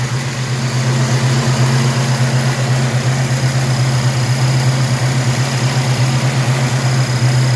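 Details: 1967 El Camino 427 big-block with MSD Atomic EFI (return-style fuel, O2 sensor in header), about 100 miles since install, warm: deep, steady idle with even lope, no ticks or knocks; healthy V8.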